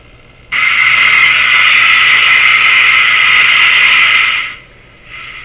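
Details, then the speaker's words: Bradna (Breadner) JBL 37 tube radio during troublesome alignment: sudden loud steady high squeal about four seconds then drops away, IF oscillation triggered by light pressure on the IF cans; manual warns of this. "hard to see what i did there but i actually just put a little pressure on those cans like just a little bit of pressure and triggered it again"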